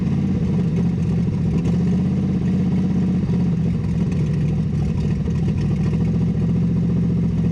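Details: 6.0 LS V8 Silverado with an NV4500 manual, sat 12 years, stripped of parts and with a blown clutch: a loud, raw, low rumble with a ragged chuffing clatter that follows the revs, because the exhaust is ripped off at the manifold.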